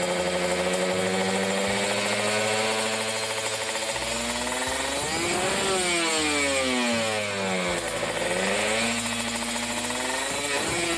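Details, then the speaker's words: Kawasaki Ninja RR two-stroke after carburetor re-tuning, racing exhaust, no air filter: revs cleanly through 3000, 4000, 5000 to about 6000 rpm and drops back to steady idle without stumbling; normal revving. "ya kita lihat rpm nya kita tes ada berbuat apa enggak RPM 3000 4000 5000"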